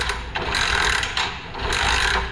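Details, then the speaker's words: TVS Victor Plus that died while riding: repeated kick-start strokes turn the engine over but it never fires; no spark, pickup coil suspected. "सबसे पहले आपको यह दिखा दें कि इसके अंदर स्पार्क है ही नहीं। चलिए किक का उपयोग कीजिए। मारिए।"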